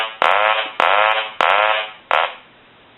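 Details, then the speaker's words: Hand-painted wooden duck novelty telephone after repair: four evenly spaced, half-second nasal quack bursts, then a pause. The ring cycle sounds strong and clean. "I'm going to turn it on low or I'll turn it off let's hit a ring cycle you can see a ring cycle all started look now I don't know if you can tell on the video but it's going to be lower than high and then we turn on high you may have heard that on the video"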